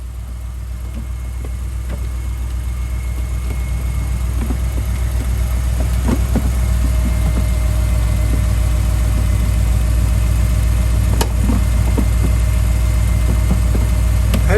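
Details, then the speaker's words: Mercedes-Benz E550 coupe (C207) V8 idling after a battery replacement. Deep, even burble at steady idle, smooth low rumble, no knocks or misses; owner loves the V8 sound. Normal idle. "I love this sound. Whoa, the most. The V8, baby."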